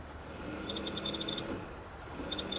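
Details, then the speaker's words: Vectrix electric scooter after battery reinstall, on jack, light forward throttle: fan kicks on, quiet whir with quick sharp chirps several per second, apparently from motor controller; reverse barely spins wheel; owner wonders about planetary transmission oil or motor encoder. "I'll do that plus a little more. I get kind of it sounds like a chirping coming from the motor controller."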